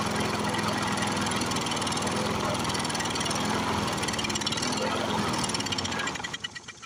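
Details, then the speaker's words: Briggs & Stratton 6.0 hp single-cylinder mower engine, seized from long sitting, primer gasket torn, bottle-fed fuel. Loud, rough, uneven chugging that falters and dies. Owner thinks the varnished carburetor needle valve is sticking. "i think that needle valve's sticking every once in a while now"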